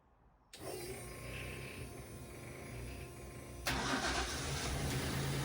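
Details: MGB GT with a swapped Jaguar AJ30 V6, restarted after the first startup and leak, coolant and oil checks: it cranks, catches and settles into a slightly lumpy, unsteady idle. It runs better but is still not quite right; further fixing is planned.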